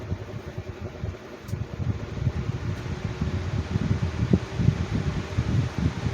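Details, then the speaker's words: 2019 Lasko Cool Colors 20-inch box fan on a mat on a table: quiet hum with uneven low thumping rattle about three times a second as the fan vibrates the table; owner suspects balance issue. "okay so now it's starting to act up a little bit and the table is Tables by vibrating along the fan bit"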